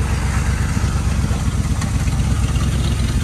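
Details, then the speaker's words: 1974 Dodge Ramcharger 360 V8 with Holley two-barrel and automatic, just revived after sitting: lumpy, uneven idle with loping rumble and stumbles, running rough on old fuel, smoking slightly. "so as i stated before it's got a little 360 with the holly two barrel on it um it's not running the best right now just because the old fuel"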